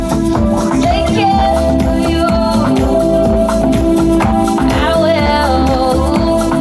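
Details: Bose L1 Pro16 PA speakers fed through an external mixer with gains turned up: music comes through loud and full with clean, undistorted peaks at a steady level, no clipping.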